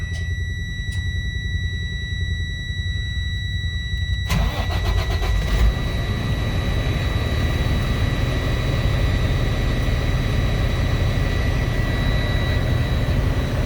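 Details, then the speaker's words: Freightliner M2 106 with a Cummins diesel, first start after the squeal repair, with fresh antifreeze circulating. Warning chimes, then it settles into a deep, steady idle with an even rumble and the squeal gone: normal idle. "All right, boys, I think we fixed her. We're good."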